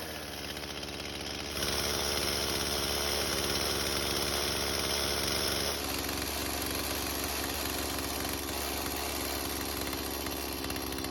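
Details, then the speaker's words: Stihl chainsaw from a barn, after idle-speed screw adjustment (carb otherwise non-adjustable). It runs with a steady buzz and holds an even idle without stalling; normal running. "Now luckily for us, the carb seems to be working just as it should, and that's because, like I mentioned earlier, these carbs cannot be adjusted."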